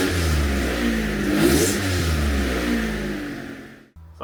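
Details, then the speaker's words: 1992 Dodge Stealth before front pipe replacement: loud raspy revving with hollow puffing rising with revs; leaking flex section of front exhaust pipe. "now I'm actually going to replace my oxygen sensor at even after getting that little joint TIG welded I still hear a little bit of a leak it could be coming from the rear manifold"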